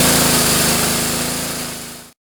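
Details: Year-old Honda pressure washer after clearing a plugged carburetor main jet from storage: quick, even firing beat with no stumbling or surging, easing off slightly before cutting; runs normally.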